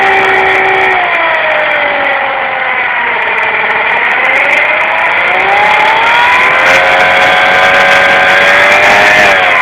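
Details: KYMCO Agility 50 scooter at idle and under throttle: a whining tone near the rear wheel and CVT that rises and falls as the engine revs up and down, an abnormal drivetrain noise.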